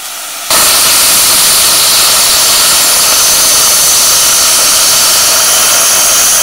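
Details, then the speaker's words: A 40 amp plasma cutter set to 30 amps at 40 psi cuts 3 mm plate with a steady, even hiss, no sputter or breaks; the cut comes out clean; normal plasma cutting. "well i said now i've got a three ml piece of plate compared to that piece of plate which i reckon is probably a mill and a half so we'll see how this cuts at 30 amp 40"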